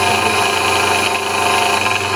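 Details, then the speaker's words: Vitamix blender blade assembly after greasing the bad bottom bearing (inner bearing not greased): steady high whir with no growl or grinding, only faint rattling; bearing quieted, runs normal. "or even here the plates rattling and everything so I would say that's actually successful at quieting those bearings out"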